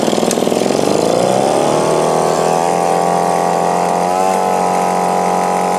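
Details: Echo PB-2520 two-stroke blower after carburetor removed, cleaned and refitted, before idle adjustment: catches and climbs to a strong, even high rev holding steady without stumbling; normal running after repair.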